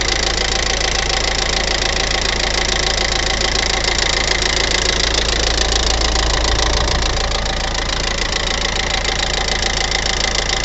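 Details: Hyundai i40 2015 at idle: sharp, even ticking of about three to four ticks a second, louder after the timing chain was changed.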